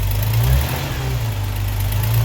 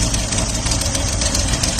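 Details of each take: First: 1979 Opel Monza petrol inline-six, barn find, before setting the tappets: low, even, smooth idle with light throttle blips on all six cylinders, charging, with an exhaust leak present. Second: 1979 Opel Monza six-cylinder, barn find, at idle: uneven idle with a rhythmic stumble, still misfiring on one cylinder. Noid tests ruled out injectors 1–5, and injector 6 was then found faulty.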